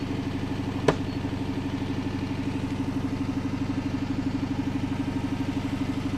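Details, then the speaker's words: Dodge Charger Pursuit V8 with no check engine light: uneven rolling drum-roll burble at idle, about two pulses a second; owners suspect a sticking lifter. "It ain't happy about it. The exhaust note sounds like some kind of drum roll."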